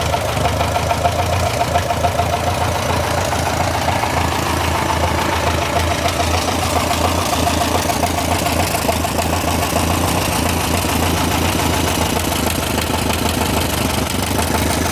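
Tractor idling evenly with a crisp repetitive tick, roughly three or four a second, clear over the engine; source of the knock unknown.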